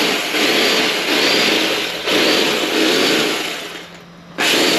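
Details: Bosch GBH 2-24D rotary hammer, 820 W, 220 V, running but weak: loud harsh high-pitched motor roar surging and sagging every second or two with strange noise and no power; cause not yet found before disassembly.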